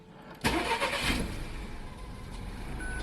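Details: Hot engine that won't start when warm: with the coolant temperature sensor unplugged, brief crank then it catches at once and settles to steady idle; plugged back in it fails, pointing at a faulty coolant temperature sensor.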